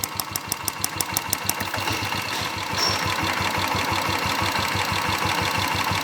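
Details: Royal Enfield motorcycle at idle: sharp, light ticking about five or six per second over a steady idle, which is absent when the purge valve is unplugged and returns when it is reconnected. Purge valve ticking, not engine noise.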